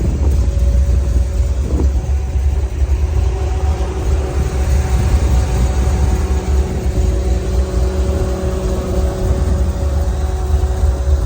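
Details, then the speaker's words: 1985 Oldsmobile Cutlass after overheating, engine at 190 degrees idling, primary fan running and secondary Honda Odyssey fan switched on manually; steady low whooshing rumble and even hum, no rattle or scraping; both fans working normally. "Now we're gonna see the secondary fan. So we hit the switch. Let's see what that does. Oh yeah, I hear it."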